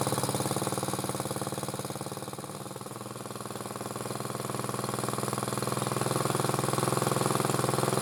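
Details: Motor-cultivator that knocked and stalled in autumn after hard use and started poorly, after valves checked (intake upper 0.20, exhaust lower 0.15 clearance); gearbox turning; single cylinder puts along evenly, dipping slightly then picking up, no tapping; normal running.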